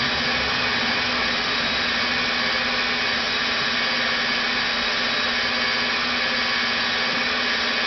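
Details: Rebuilt NetGain WarP 9 DC motor seating new National T300 brushes, idled by an EVNetics Soliton1 after about 40 hours of running. Smooth, steady whir and low hum around 900–1000 rpm, before an unexplained slowdown below 900 begins. Normal idle.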